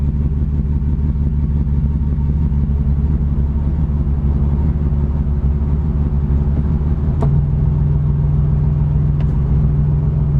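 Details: 1987 Cavalier RS convertible V6 at idle: deep, uneven rumble with a loping, irregular pulse about once a second and occasional stumbles; rough idle that persists although the owner has replaced everything.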